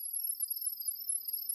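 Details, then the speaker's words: Shrill warbling pairing chirp held about two seconds from the phone, transmitting Wi-Fi (2.4 GHz) network details to an Imou Ranger 2 security camera; device must point at the camera with volume up; normal pairing tone. "This is transmitting the network information you have provided to the camera to allow it to connect."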